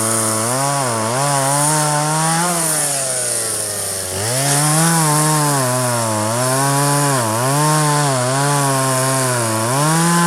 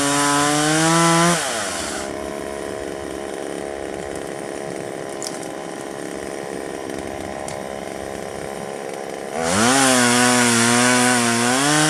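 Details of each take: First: 1997 Poulan 2150 chainsaw, 23 years old, owner guesses 2.1 displacement; warm, just run; dull chain cutting box elder tops. Two-stroke buzz rising and dipping smoothly as chain bites, revving back cleanly; normal running under cutting load. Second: 1997 Poulan 2150 two-stroke chainsaw, about 23 years old, probably a 16-inch bar in a roughly 20-inch tree: screams at high revs, bogs to a lower snarl through the cut, revs free; cut went crooked, owner suspects one-side-dull alternate teeth.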